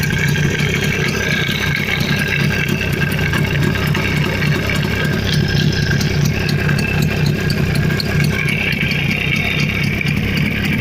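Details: Jawa 350 type 638 two-stroke with CDI ignition, after full engine rebuild (rebored cylinders, new pistons, restored crankshaft, gearbox repair, new chain, bearings, seals): steady, even beat at constant speed, no knocks or rattles; normal running.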